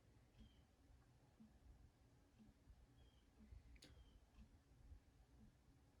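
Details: Old Jacksonville Jackson 52-inch ceiling fan spinning down after its dry motor bearings were re-greased. Very quiet coast-down with a soft light tick about once a second, no grinding or rumble; bearings sound smooth and healthy.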